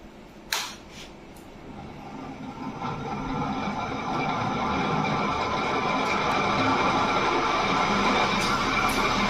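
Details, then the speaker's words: Fan switched on, spinning up into a steady rattling knock about three or four a second from a worn bearing. "वहां पर इन्होंने देखा तो wiring का ही जो प्रॉब्लम था बेयरिंग का"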